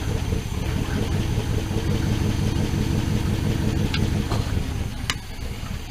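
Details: 1979 Dodge D100 Adventurer pickup V8, revived, with a new mini starter: even low burble at idle, steady beat, no missing pulses; hitting all eight cylinders.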